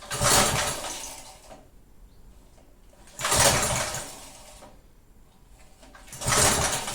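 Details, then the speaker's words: Roadside-found rototiller (believed 1991 Texas garden tiller) with Briggs & Stratton engine, stood unused for years, probably some brake cleaner in throttle, full choke: three pull-cord bursts, each a brief cough that never catches; engine cranks but won't start, likely needs fuel. "no it won't run well it also have to get some fuel and it doesn't it kind of sounds like it want to"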